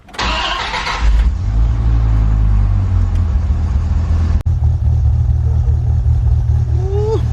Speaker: sounds a little quiet but you know she still sounds good up for an oldie